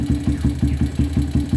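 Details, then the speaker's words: Single-cylinder motorcycle at idle: steady low thumps with faint clatter from top of engine. "Essa aqui chegou com barulho, tá com barulhinho da porra no motor em cima."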